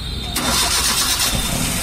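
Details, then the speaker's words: Maruti Suzuki Wagon R K-series engine, warm, after replacing a weak battery that dropped to 7 V while cranking: short crank, fires at once into a steady idle, voltage now holds above 10 V; normal start. "पहले battery week था, हमने ये नया battery डाल दिया है।"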